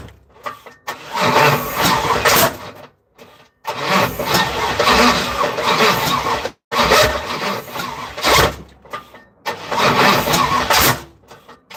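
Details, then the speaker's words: Third-gen (82–92) Camaro running on starter fluid: starter cranking bursts with sharp pops and bangs between, never runs on its own; backfire, no start. Owner suspects non-working injectors, spark, timing or a bad ground. "Explosions that are coming out of this shit. Let's see if I have any engine codes."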